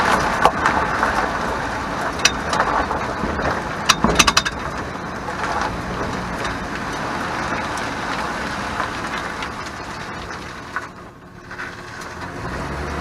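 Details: 2001 Chevy Silverado 1500: rear metallic rattle in bursts over bumps while driving, progressively worse and less in reverse, absent when bounced while parked; shocks ruled out; cause found to be the parking (e-brake) assembly.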